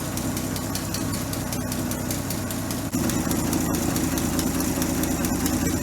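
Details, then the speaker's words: 1967 Chevy C10 barn find, freshly ring-jobbed 250 straight six, warmed up, timing raised from about 4 to about 8 degrees advance and idle set, before vacuum-gauge carb tuning: even settled idle with light steady tick, no misfire; normal idle. "all right the timing set at about eight degrees advance and then I set the idle to yeah or it sounded fine to me"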